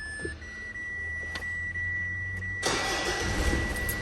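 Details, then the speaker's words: Mitsubishi 4D56 diesel after diesel filter replacement and clearing code P1275, coolant 83°C: a steady warning tone, then it starts quickly and runs smooth and even with no vibration. "الله عز وجل يا احباني صوت المحرك كثير ناعم وعادي وما في اي اهتزازات او اي رج"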